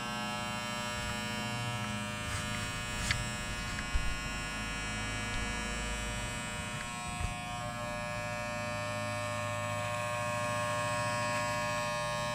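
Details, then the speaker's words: Wahl shaver after installing new blades replacing chipped ones and tightening screws: steady high buzz with even motor hum, small dips while cutting hair; runs smoothly under load. "Okay, let's give it a try. Sounds good."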